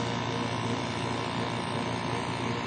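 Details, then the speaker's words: Carrier remote-control window-type air conditioner reported as not running. The compressor, wired directly to a separate plug, runs with a steady low hum and no rattles or clicks, gets warm and frosts up, so it is judged OK. The fan motor bearing is to be replaced. "Yan ang kanyang compressor. 2.3. umaandar"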